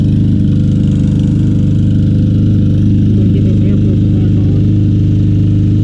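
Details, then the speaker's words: Troy-Bilt TB200 mower, 625EX 150cc Briggs & Stratton engine, long stored, running after carb bowl tapped with rubber hammer: loud drone with an uneven, hunting beat; rough running on old gas, float suspected stuck. "kept banging on it with that rubber persuasion hammer not running great but need to drink get rid of that old gas"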